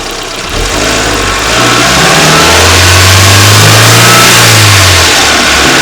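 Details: Renault Wind / Clio III 1.2 turbo 100hp, mic under the bonnet, held at 2000 then 2800 rpm: hissing, fluttery rush over the intake note from the faulty original Bosch 0280142118 turbo dump valve, replaced with an adjustable recirculating valve.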